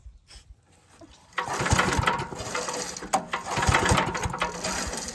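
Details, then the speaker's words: Scrapyard 5 hp Briggs & Stratton with Magnetron ignition, spark tester fitted, pulled over by cord: firm uneven chuffing with even resistance, good compression; orange spark seen. "We're just gonna pull it over and see if we got any spark. Look there. It's got good compression."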